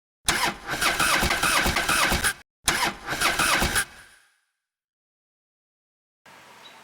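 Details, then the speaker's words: 1992 Jeep YJ 4.0L, before alternator and belt removal: two ragged bursts of cranking and catching, with the engine stumbling and dying instead of settling to an idle; a weak, pathetic start, cause not confirmed. "Gonna give it a start, and it sounds really pathetic when you fire it up. Can't drive like that."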